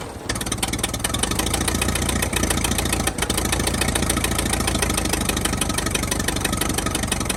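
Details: 1922 International truck, sat 30+ years, just started after a dragging starter: catches and settles into a steady, even idle with a firm regular beat and no knocks, not yet warm; normal idle.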